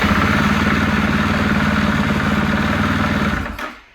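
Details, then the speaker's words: 2016 Husqvarna FE 501 after its old lead-acid battery got a full charge at 15 A tapering to 1 A: quick, even, strong cranking at about four compressions a second, much faster than before the charge. "But anyway, now that old lead acid battery, you can hear how fast it turns over now."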